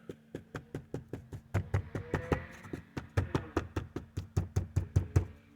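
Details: 2019+ Acura RDX dash where two trim surfaces meet, with something wedged into the gap: quick, even knuckle taps land as dull, clean knocks with no trailing buzz, so the tap-test rattle is gone.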